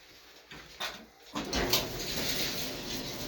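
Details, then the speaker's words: Empty dryer after disassembly to fix drum thumping, suspected failed roller bearings: a few clicks then steady, even whoosh with no thumping; much quieter, running normally. "that's way quieter much quieter yeah you can actually hear me talk over before"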